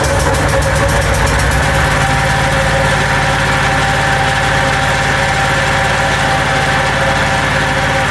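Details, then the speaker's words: Small single-cylinder engine, after recoil starter cleaned and lubricated with WD40: steady idle, even rapid thump, sounds much better and quieter, guard off; carb cleaning still planned. "That does sound much better."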